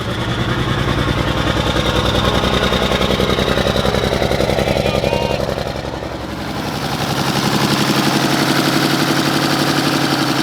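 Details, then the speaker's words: 1960s Mack diesel truck started on day two of revival with a large battery, showing about 55–60 psi oil pressure: rough, lumpy, uneven chugging idle with one cylinder dropping out; injection pump not feeding that cylinder. "It is really rough, guys. And I would almost say too far gone, but there it is, Bobo"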